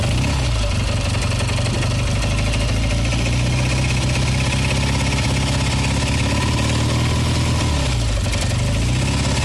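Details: Kawasaki W1SA twin with tappets already adjusted. Hard metallic clicking occurs when the throttle is blipped and fades off throttle, quiet at idle. Teardown found a lightly seized left cylinder and connecting rod-to-crank play; crankcase, cylinder, piston and rod are being replaced.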